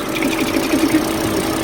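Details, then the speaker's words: Volvo S60 five-cylinder turbo after repairs including replacing a broken ignition coil: smooth, even idle hum like a sewing machine, constant note, no misses, knocks or smoke; normal idle. "oh listen to that purr five cylinder turbo charged nice and smooth too no smoke no nothing"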